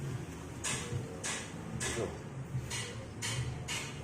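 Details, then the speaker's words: Toyota Avanza, car jacked up, rear wheel turned by hand: rhythmic scraping swish about every 0.6 seconds, rotation not smooth; rear drum brake dragging from a leaking brake wheel cylinder seal. "Jadi jika kita mengalami silinder breaknya masalah itu sudah kita dongkrak ya. Ini kita tunjukkan putarannya tuh tidak smooth."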